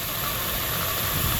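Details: 2001 Dodge Durango 5.9L idling after water pump replacement, temperature normal: a busy, rattly chatter and hiss. Owner suspects a failing bearing in the fan clutch or AC pump clutch; chatter at idle.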